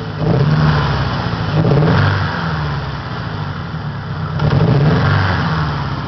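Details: 1993 Saturn SW2 in park, low on power, with the check engine light reported both off and on: uneven idle surging and dipping every second or two with a stumbling beat. Engine misfiring at idle.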